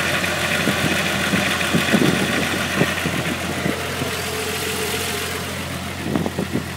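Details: Mk3 VR6 petrol engine idling with an irregular, tinny rattle of sharp clicks over its steady hum: unidentified mystery engine rattle.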